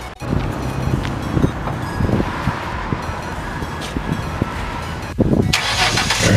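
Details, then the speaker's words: Cold start of a Mustang ("Black Beauty") after Midas welded its homemade dual exhaust and refitted the stock cats and resonators to cure rasp above 25% throttle; engine catches and settles to a steady, even, deep idle with no rasp or rattle. "Excellent work. The car sounds good on startup."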